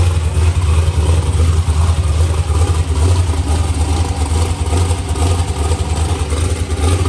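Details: Ford Mustang with LS swap and new TKM engine, Holley intake, forced induction, first fire-up after build, tune still in progress: deep, lumpy V8 idle with a steady low rumble and slightly uneven pulses, running normally.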